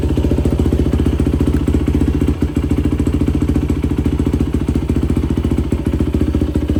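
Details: 2004 Yamaha YFZ450 quad after sitting, carburetor cleaned for a clogged pilot jet (previously only ran on choke) and new ignition fitted: even, steady single-cylinder thump at fast idle off choke, no misses, knocks or rattles; fan kicks on. Normal idle.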